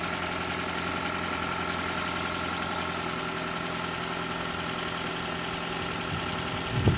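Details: 2012 Toyota Prius 2ZR-XFE idling steadily with a faint, loosely regular knock about four beats a second, during an oil pressure test; oil pressure drops somewhat as it runs.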